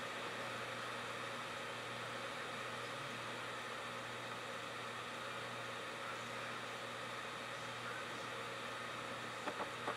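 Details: LG drive from a year after April 2006 in a USB 2 enclosure: steady high whir with constant whine over fan hiss, spinning hard and slowly struggling to read the disc.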